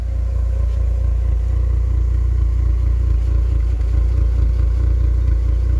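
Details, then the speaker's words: K-Series engine after coolant tank replacement and refill, warmed up at idle: deep smooth idle with steady even pulse, no knocking, clatter or hunting; normal idle. "listen to that just purring like a kitten"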